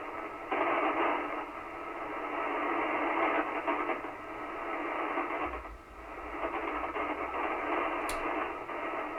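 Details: Kenwood TS-520 transceiver after power cord replacement, receiving on 75 meters; soft static hiss that swells and fades with no hum, crackle or dropouts, receiver pulling in band noise normally.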